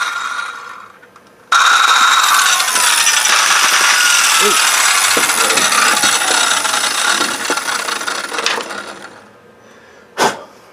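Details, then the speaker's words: 20+ year old US-made Skilsaw circular saw with brass bushings, not ball bearings, that died with bad brushes: harsh gritty roar turning to a scraping rasp on spin-down; owner suspects metal-on-metal contact. Not confirmed. "I suspect to be like a it sounded like it was metal on metal contact you know as it was slowing down I could hear kind of gravity type i'll"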